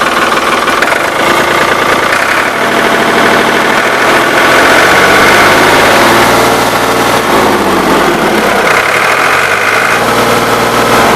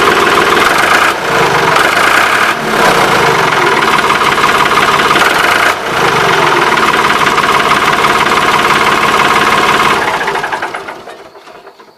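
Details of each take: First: Ford 3910 diesel tractor, new muffler and injection pump throttle shaft O-rings fitted: steady diesel clatter at idle, revving up and settling back smoothly twice with no misses or heavy knocks. Normal idle. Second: Ford 3910 tractor diesel running with its old muffler, whose weld is broken after repeated repair attempts; loud raspy unmuffled chuff on every firing before muffler replacement. Exhaust leak.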